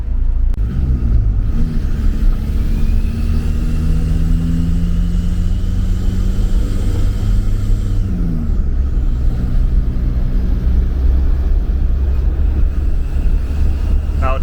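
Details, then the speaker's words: Diesel van driving under load, still boosting with no overheating or smoke: a low, wavering, siren-like whine rises and falls with boost. The turbo sounds unhappy and is likely damaged. "is not a police car following me that is the turbo that sounded too healthy folks it's still boosting"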